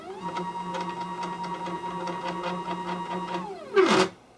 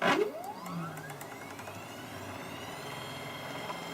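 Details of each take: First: MDF CNC router stepper motors on a new controller with a higher-voltage power supply: steady low hum with whine while the axis moves, short clatter at stop; different initial hum on all axes, cause unknown, movement accuracy unverified. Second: MDF CNC router X-axis stepper on a new controller and higher-voltage supply, max feed about 70 inches per minute: tone sweeps up then holds a steady whine with no stalling; runs cleanly, stalls only above that rate.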